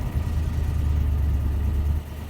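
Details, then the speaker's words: 2004 Toyota Tundra just started during crankshaft and camshaft sensor checks, idling at about 1000 rpm: deep, lumpy idle with an uneven low throb that stumbles now and then; rough idle, cause not found. "you can hear it's a little bit of a rough idle and it's at 1000 rpms right now"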